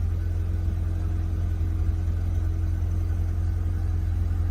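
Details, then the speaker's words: Audi TT 1.8, first start after 8 years stored in a barn, earlier running at high RPM: steady, even low rumble, very quiet, with no knocks, misses or hunting; normal idle. "Wow, she's running like a Swiss clock. I mean, she is just humming right along. Quiet. In fact, super quiet."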